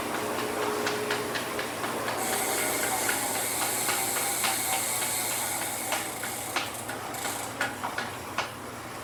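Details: Elite Direto first-series trainer spinning: light, uneven ticks about four a second over a steady hiss; clicking from the unit, cause unclear.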